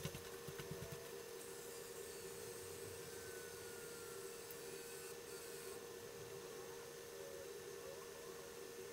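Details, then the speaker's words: Coleco Adam data drive running smoothly while verifying a tape, after cleaning the head and oiling the index wheel to cure an earlier squeal; faint steady hum and soft hiss, no hiccups or pauses; the oil made it much quieter. "listen how quiet this drive is the little bit of oil made that much of a difference"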